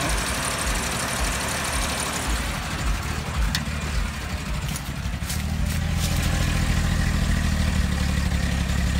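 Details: 1999 Ford Windstar, last run before engine replacement, with a dropped piston, gas in the oil and a blown head gasket: rough, deep idle with a heavy uneven knock two to three times a second that grows as revs rise.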